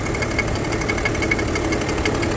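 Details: 2010 BMW 335d diesel, cold start below operating temperature with the oil cap off and no oil splashing: an even, steady diesel clatter at idle with a regular rhythm, sounding healthy.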